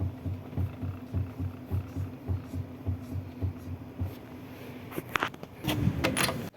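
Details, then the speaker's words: Mitsubishi Xpander, engine running while steering wheel is rocked: dull repeated knocks under steady hum; worn, loose tie rod end (rack end checked okay), tie rods to be replaced on both sides. "Pero itong ti Rod naku po kalog yung ti Rod kaya pag naglilikot ako ng manibela Ayan yung naririnig niyong sounds"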